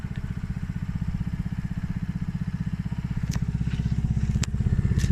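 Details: Polaris Outlaw 50cc quad after carb clean and blocked pilot jet cleared (previously overflow leak, no start). Quick even low pulses, about four a second, steady and clean: normal running.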